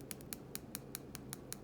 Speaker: that's just because this fit in that little aperture there is not quite perfect so just Wiggles the slightest bit and that will cause it to tap so it's a little bit annoying